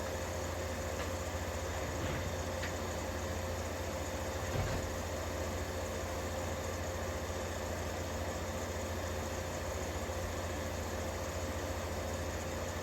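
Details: 1953 Fedders Weather Bureau room air conditioner, serviced, with Tecumseh S-series 1/3 hp R12 compressor running. Steady, even low hum with a smooth constant drone, no knocks or rattles; normal compressor running.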